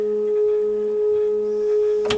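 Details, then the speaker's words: Newly finished stepper motor feed drive on a lathe, turned up to its fastest feed rate: steady pure whine near 440 Hz with a clean low hum; stepper feed running smoothly and healthy. "um but yeah i mean it's switched on motor's running"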